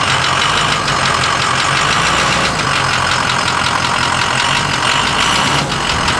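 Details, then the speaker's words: Ford E350 4x4 van with a 6.0 Powerstroke diesel V8 idling cold: a faint, light, steady tick buried in the clatter, which mostly subsides when warm. Relative compression is spot on; a cracked piston below the compression rings is suspected, to be confirmed at teardown. "fire's right up here's got a tick when it's cold once it's warm that noise actually subsides and mostly goes away but it's still definitely there so we're pretty sure we have a crack piston below the top rings below the compression rings as our compression or relative compression is spot on"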